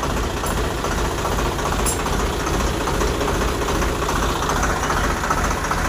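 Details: Swaraj 735 FE tractor diesel in 2nd gear after replacing failed gearbox bearings (2nd-gear noise under load in the field); test run with an even steady chug, no whine or grinding, customer reports no noise.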